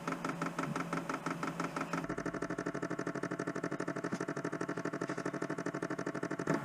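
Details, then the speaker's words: Chinese diesel heater being installed in a garage, fuel pump primed by holding two buttons: steady metering-pump ticking that quickens to a fast, even clatter as it primes and fuel moves up. Normal. "Now we can hear the pump moving. So it seems to be getting more frantic with its pumping."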